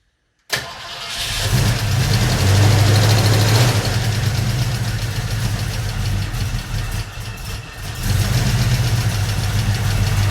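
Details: 1971 Mercury Comet GT engine, cold start with contaminated oil full of metal debris put back temporarily: catches quickly, then heavy, uneven running with a rough undertone from internal bearing damage.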